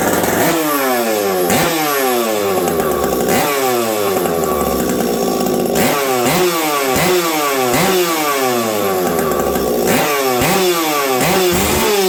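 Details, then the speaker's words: Stock Husqvarna 372XP chainsaw fitted with a UFO pipe, run in cold winter weather after sitting a while. Repeated rev-ups and drops with a blubbery, uneven note at the top; it's running rich. "I haven't run this thing for a while and it's definitely way colder out now than last time around this saw and uh what I noticed is it's rich"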